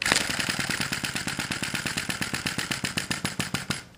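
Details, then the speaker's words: Sai Hu V1-45 flame-licker vacuum engine (aluminum frame, brass cylinder, piston, flywheel) warming up during start attempts: quick stuttering ticks about seven a second that fade; nearly running, flame size and position being adjusted to find the sweet spot. "okay I've been doing this for a few minutes I reach back here on the cylinder I can feel that it's warming up we're getting very close to running keep trying to find the sweet spot for that fire"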